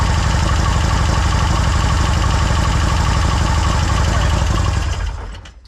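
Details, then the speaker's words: Victory V-twin with a fresh big bore kit, brought in for tuning: rough loping idle with a regular chuffing beat, then sharp pops as it shuts off, backfire coming out of a blown head gasket. "Oh yeah, we got the backfire right out of the head gasket."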